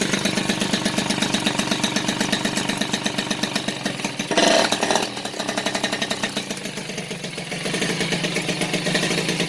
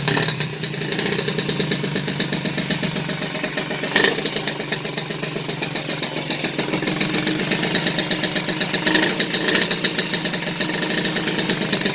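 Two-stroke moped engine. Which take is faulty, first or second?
second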